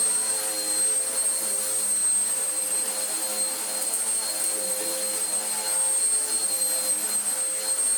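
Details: Vax Power U84 vacuum after its off-centre belt problem, with the brush roll reassembled and a new belt fitted. Steady high-pitched motor whine at an even pitch with no slipping, flapping or scraping; runs normally.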